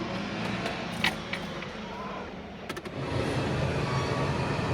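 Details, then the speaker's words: Chevrolet Corsa Sedan cabin blower fan after removing debris stuck to the impeller and lubricating with WD-40: steady even whir with no wobble, rattle or vibration; imbalance noise gone, normal operation. "Liguei e o barulho já sumiu."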